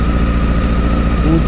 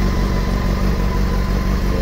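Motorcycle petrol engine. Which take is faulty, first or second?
first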